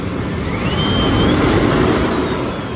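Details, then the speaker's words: Flood-damaged Chevrolet S10 Blazer, running again after the BCM was cleaned; small coolant leak at the thermostat housing: steady, even idle under outside noise with no stumble or misfire; smooth, healthy idle. "Got a little coolant leak at the thermostat housing, but no misfire. Yeah, no, it's smooth as silk."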